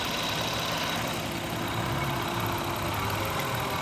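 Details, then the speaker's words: 2000 Toyota Avalon 3.0 VVT petrol V6 after fixing a misfire by replacing a faulty coil pack: slow, even idle with steady low hum and no stumble or skipped beats. "so this engine's running smooth now and it's all just over a simple coil pack"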